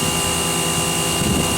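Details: Ten-year-old Campbell-Hausfeld 1800 psi pressure washer, first use in 3–4 years: steady, dense spray hiss with a constant motor drone holding even; spraying normally.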